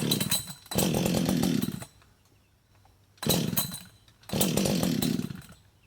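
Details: Husqvarna 562xp chainsaw, hot after running and sitting about 15 minutes in the sun at 91°F and near 100% humidity: rough pull-start bursts catch briefly then die; primer bulb pulls no fuel, owner suspects vapor lock.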